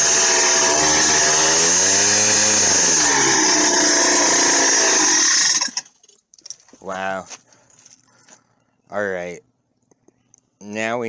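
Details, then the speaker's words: Minarelli two-stroke on a motorized bicycle with a China doll CVT, first solid run at half to quarter throttle: buzzy drone sags as the CVT takes up, then short clean revs; healthy running. "definitely this thing is uh hauling I I actually very pleased with it"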